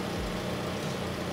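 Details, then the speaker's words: Toyota RAV4 with CVT at 170,000 km, after oil change, engine running to warm CVT to 40° for level setting: smooth even low hum, no knocks or surges; normal idle. "Теперь мы запускаем двигатель прогреваем вариатор до 40° потом откручиваем сливную пробку и всё что сольётся всё Это лишнее"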